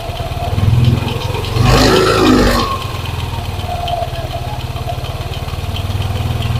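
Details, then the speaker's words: Yamaha NMAX scooter, hot engine at idle with throttle blips: rapid light tick about four per second, louder with throttle, silent when cold; worn water pump and crankshaft bearings. "permasalahannya suaranya pada waktu Saat dingin dia tidak bersuara akan tetapi pada waktu suhu sudah panas untuk motor ini terdengar suara seperti ini ya teman-teman"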